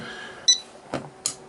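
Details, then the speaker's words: Sargent and Greenleaf S&G 6120 electronic safe lock removed from safe, on battery and keypad; keypad beeps then a sharp solenoid snap, but bolt does not move, lock fails to unlock, the recurring fault. "Actually, it didn't unlock, so which has been the problem the whole time. Thing just doesn't. You can hear the solenoid snap, but it just doesn't unlock."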